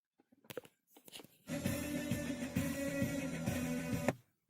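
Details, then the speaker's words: 2015 Jeep Patriot 2.4 head unit, old unit before repair: music stutters in brief bursts, plays, then cuts out abruptly; sound switching on and off from micro-cracks on the board after a collision. "з перебоями вона грає [музика] і так як на відео Ви побачили яка була поломка монітофон точніше звук сам хто включався та виключався"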